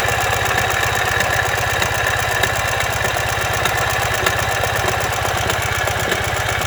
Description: What is this unusual engine noise? Turns out that this is the sound that happens when the front crankshaft bearing collapses.